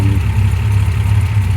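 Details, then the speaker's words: MG MGC GT, restored, bonnet open: quiet, smooth tickover, even low hum, no taps or knocks; the six, fully rebuilt with lightened and balanced bottom end, idles cleanly and healthily. "As you can hear, it ticks over really quietly. Engine's been fully rebuilt, lightened and balanced bottom end."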